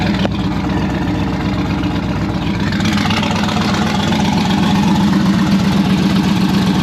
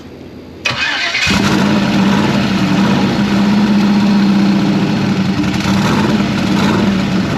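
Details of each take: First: Turbocharged V8 hot rod on its first start since last October, after the turbo kit install. It idles deep and lumpy with a faint flapping from the accessory drive, because the AC belt is wobbling; the owner plans to fix this. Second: Turbocharged hot rod, first start since last October after the turbo kit install, with 40 psi oil pressure and 101 psi fuel pressure. After a brief crank it catches cleanly once given a little gas and settles into a strong, steady idle.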